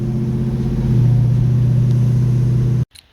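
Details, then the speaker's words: Blueprint 383 small-block V8 classic muscle car, on a road test after a tune-up for running rich and stumbling when pushed: deep steady roar building evenly as it pulls, no stumble, pops or misfire; it seems to accelerate a little better. "It seems to accelerate a little bit better."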